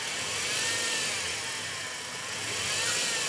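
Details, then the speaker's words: 2000 BMW E46 318i with M43 engine at idle: steady, smooth even hum with no metallic ticking or knocking inside the engine, low vibration and good engine mounts; normal, healthy idle. "Kalau suara mesin mobil ini sebenarnya halus. Dia nggak ada suara bunyi metal di dalam mesin. Tuh. Halus banget."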